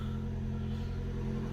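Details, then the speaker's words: Hybrid car just after 12 V battery replacement (12.4 V at terminal 30), engine left idling: smooth steady low hum with no stumble or rattle, no error codes; after 3–4 minutes it shuts off into EV mode, showing it is happy with the battery. "good stuff right what I've done is I've just left the car ticking over and after about 3 or 4 minutes the car switches itself off and basically gone into EV mode so that's really good that means it's happy with the battery"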